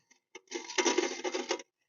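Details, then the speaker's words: GMC Yukon rear brake, rotors cooked red-hot, wheel turned by hand: light metallic clinks and rattles from inside the rear brake, owner suspects worn-out emergency brake shoes; not yet disassembled. "Yeah, we definitely got to get this apart. Sounds like the emergency brake shoes, they're probably gone."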